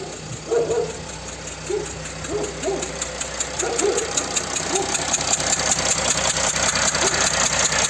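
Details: Mercedes OM642 diesel in a Jeep Grand Cherokee CRD at idle: a sharp, regular ticking of two to three per second, a combustion leak past a worn injector gasket that no longer holds pressure, with diesel smell in the cabin.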